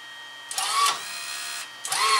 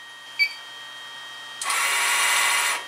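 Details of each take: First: Fujipla ALM series laminator cutter unit after clean, lube and retensioning the drive wire: two short smooth cutter strokes with even whirr, no catching or grinding; cutter running efficiently after adjustment. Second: Fujipla ALM series auto-laminator cutter unit, drive tension loosened via 3 mm hex screw: sharp click then about a second of harsh rasping hiss as the cutter drive wire slips on the motor pulley, causing cutter error beeping.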